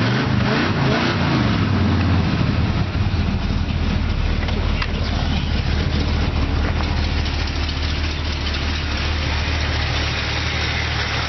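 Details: Engine after carburetor rebuild: a brief blip, then a steady, even low-pitched idle that holds without hunting or stumbling. Normal idle.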